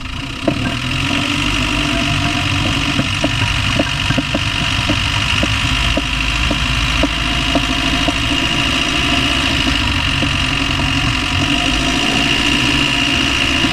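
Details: Land Rover Discovery 1 300Tdi diesel idling with a sharp, regular knock about twice a second over the clatter; knocking noise of unknown source, owner asks what it is.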